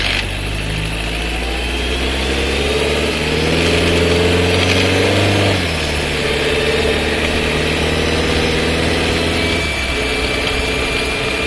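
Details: Skoda Scala 1.5 TSI, dry-clutch DSG, new car about 3500 km, heard in cabin: loud abrupt downshift with jolt and faint rattling noise.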